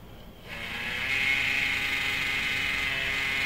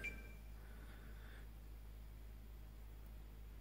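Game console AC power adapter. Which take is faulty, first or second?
first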